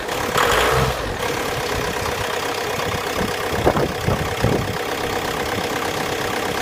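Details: VW Passat 3C B6 2.0 TDI 125 kW: knocks briefly just before starting, loud start-up burst, then idles unevenly with irregular thumps and clatter; cause unknown. Rough running with abnormal engine noise.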